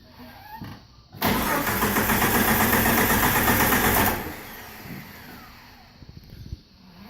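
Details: TJ 4.0 no-start: steady starter cranking at about four beats a second for three seconds, then it drops off without catching; cranks but won't fire.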